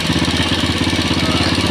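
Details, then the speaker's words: Old single-cylinder motorcycle said to idle smoothly when cold but run rough after 20–25 km, now hot: steady, even idle beat with no tapping or clatter, showing the oil pump and oil passages are working well; normal idle. "memang kalau dia langsam suaranya gini guys ya kalau pompa itu bekerja dengan baik jika sikit gini aja seperti itulah kalau tandanya mau polisi bekerja dengan baik atau jalur olinya bekerja dengan baik ya"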